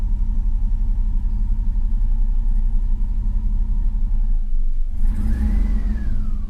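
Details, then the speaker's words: 2000 Chevrolet Silverado after starter replacement and an ECU reset from battery disconnection. Deep rumble, then a quick rev that sinks back low and nearly stalls; idle is unstable while the computer relearns, foot off the gas. "all right so I got the idle procedure learned my foots not on the gas she runs good comes back down almost stalls because it still doesn't quite know where it's got to be yet but it'll figure it out"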